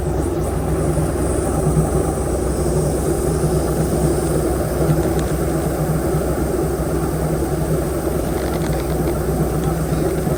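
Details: Airboat V8 with an upgraded cam, previously idling about 700–750 rpm, vacuum gauge fitted, warming up before carburetor mixture-screw adjustment: deep, even rumble with a steady beat, no stumbles or misfires; smooth idle.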